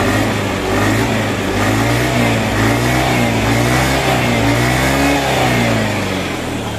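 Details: Honda Beat FI scooter engine, after teardown, reassembly and oil refill, on its start test: revs up and down smoothly with an even hum, no whistle or rough rasp. The earlier rough, whistling, droning noise is gone and it runs clean.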